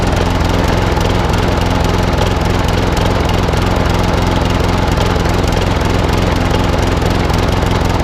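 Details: Old Masport lawnmower with a Briggs and Stratton engine, after a full service, at fixed throttle: steady chug with the odd uneven beat, a slight miss; owner suspects the carburettor needs cleaning again, possibly the coil too.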